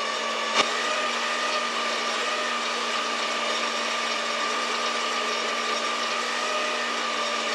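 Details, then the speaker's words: Saw run through a router speed controller whose triac triggers only on the positive half of the 60 Hz cycle, under inductive load. A thin, steady whine that never builds: motor struggling and underpowered on at most half power. "so that's interesting you can even hear the saw is struggling and and not running very well"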